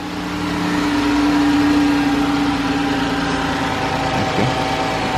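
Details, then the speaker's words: 2013 Chrysler 300 with the 3.6 L engine, after repair of a lifter-like ticking: smooth, even idle with a steady hum, only slight remaining tick, and the valvetrain quiet. A normal idle. "a little chicken but it's not as though it were so I guess the thing would be to do if you really want it to just quiet this motor all the way down I think that's normal"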